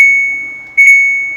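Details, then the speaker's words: Samsung top-load washing machine, 13-switch PCB, powers on and buttons work but start does nothing: two short high beeps, only the start button sound, no valve or motor. "സ്റ്റാർട്ടിൻ്റെ ആ ഒരു button press ആവുന്നതിൻ്റെ sound മാത്രം കേൾക്കാം. ഈ ഒരു PCBയുടെ complaint."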